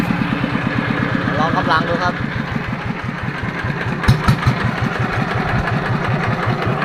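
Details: Yanmar TF115 LM single-cylinder diesel after repair for hard starting (pump plunger and other parts replaced; inner bearings not done): even, steady idle thumping, firing cleanly; idles normally with good pressure.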